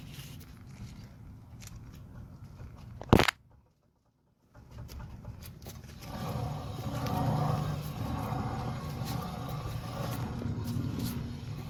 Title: Wheel bearing damage noise while running broken bearing